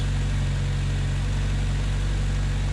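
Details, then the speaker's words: 1993 Honda Accord CB7 with an H22A at idle after a power steering pump swap. A smooth, steady low hum with no whine, groan or squeal from the new pump; no leaks or noise, healthy. "Anyway, this is what a power ser pump should sound like. Sounds great. No leaks, no line, no noise."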